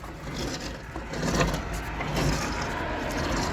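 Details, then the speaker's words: Camper van wheel bearing breaking after a loud noise on the road: rough scraping "crac crac" crunch as the jacked-up wheel is turned by hand; owner believes the balls/rollers are crushed, possibly overtightened. "le roulement ça fait un gros crac crac crac quand je roulais là on entend bien les billes qui sont à mon avis qui sont morts"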